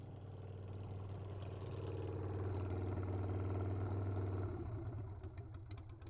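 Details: Carbureted Harley Sportster V-twin warming up after the carb bowl was removed and a float needle stuck closed was freed, now with no fuel drips: an even, steady low rumble at idle with no stumbling or misses; running cleanly.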